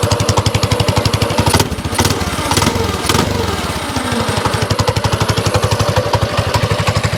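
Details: Lightly modified 224cc single-cylinder engine in an FRP GMB100 mini bike frame, running on choke after starting: an even putter with a brief dip around two seconds before settling, running fine.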